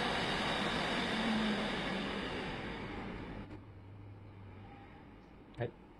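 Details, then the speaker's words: Home-built PC (i7-3770, 16 GB RAM, RX 470 4 GB) after a speed controller was added to a loud case fan: airy rush settles to a soft even hum with no rattle or buzz; only the power-supply fan is heard now. "Bây giờ thì chỉ còn nghe tiếng kêu của cái quạt nguồn này thôi nhé, còn cái quạt này không còn kêu nữa nhé, còn chạy bình thường mà, thôi gió rất là mát nhé."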